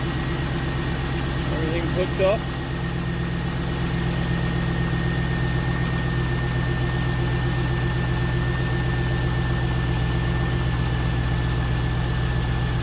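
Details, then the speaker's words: 2002 Pontiac Trans Am first start after replacing the power steering pump and plastic pulley, belt and fluid line refitted: steady, even low rumble at idle with a faint constant high tone, no knocks or misses; running smoothly, normal idle. "looks like it's running pretty smooth"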